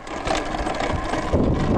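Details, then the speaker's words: Talaria MX5 electric dirt bike riding over bumps: dull low thuds through the riding noise as the stock rear suspension clunks; all parts checked tight, cause not confirmed. "That's the rear suspension clunking out on me. Clunk, clunk, clunk. Everywhere you go. Clunk, clunk, clunk."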